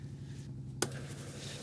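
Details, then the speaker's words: Motorhome fresh water system being filled in winter: a steady low pump hum while it primes, then one sharp pop. The water heater's frost-protection dump valve is snapping open because it is cold. "The dump valve keeps popping open, unfortunately, because it's cold."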